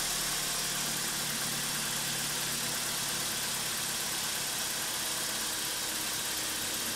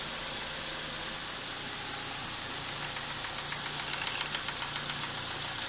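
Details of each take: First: BMW E46 316ti N42 engine after timing chain, guide rail and front main seal replacement, running on a support bar without mounts: steady, even idle under heavy hiss, some shaking, no knocks or misses; normal idle. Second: BMW E46 316ti N42, first start after timing chain, guide rail and front main seal replacement, engine on a support bar: fast light ticking about four per second over a wavering idle; hesitation probably because VANOS solenoids are not yet full of oil.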